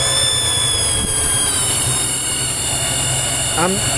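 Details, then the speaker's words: 1995 Chevrolet S10 TBI engine, warm idle: steady high-pitched whistle, only once at operating temperature; the vacuum leak was later fixed by replacing a bad TBI base gasket. "99% sure a vacuum leak there I just want to make sure what it is"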